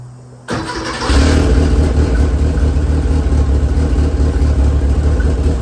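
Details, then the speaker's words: 1980 Porsche 911 slant nose with a swapped Mitsubishi Evo 8 4G63 engine, first start: starter whir, then it catches at about one second and settles into a deep, steady, throaty exhaust rumble; sounds healthy. "Sounds badass. Badass. Oh God. Ha ha ha. That is a phenomenal sound. I love it."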